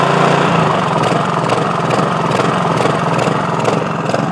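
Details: Used Honda HRX217HXA self-propelled mower, started on choke. It idles with an uneven beat that rises and falls as the throttle lever moves back and forth, despite a cleaned carb, new filter, plug and gas. Idle surging (hunting).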